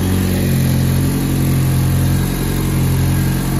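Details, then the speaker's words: GM LNF engine after new LSJ valve springs and camshafts were installed with the head on the car: it starts right up and idles smoothly and evenly with no ticking or misses, and the cam timing sounds correct. "got it all put back together started right up sounds good sounds like it's in time correctly"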